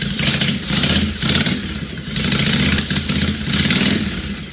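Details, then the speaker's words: 2005 Honda VTX1300 that ran poorly (suspected fuel/vacuum issues), run with vacuum leaks capped, an auxiliary fuel supply and a very loud exhaust: big twin blipped about once a second, revs rising and falling cleanly without obvious misses or backfires; engine test run. "we're just going to see how it runs just like this to start with get an idea as loud as the son of a as I said so I don't want to run it too long from what the cops showing up"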